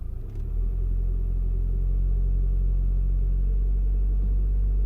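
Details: 2001 VW Passat 1.9 TDI diesel at cold idle, not yet warm: low steady rumble with a slightly uneven pulse about four times a second; rough cold running, possible misfire suspected.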